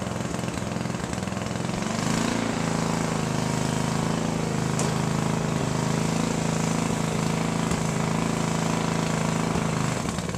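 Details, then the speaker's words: Sears Craftsman riding mower with a spare rebuilt carburetor fitted after the gunked original was removed: steady, uneven chug with a slightly hunting beat; it only keeps running with the choke on, and the owner thinks another carburetor is needed. "So this one, the only way it runs is if the carburetor is on the choke the whole time. I probably need to invest in another carburetor."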